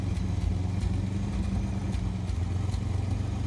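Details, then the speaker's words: 1986 Pontiac Fiero SE at idle: uneven thumps with dropped beats and light clatter, sounds like skipping; exhaust leak suspected of affecting injection, not confirmed. "Hear it running, sounds like it's skipping. An exhaust leak, probably affecting the injection system to run at a nice idle."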